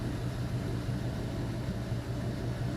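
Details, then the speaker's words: LM7 5.3L iron-block V8, 862 heads, 151k miles, on stand: idle at 153°F, MAP 31 kPa, O2 sensors switching, fuel trims 1–2; quiet even idle, no misses, knocks or hunting; normal. "See, O2 sensors are switching. Still idling nice."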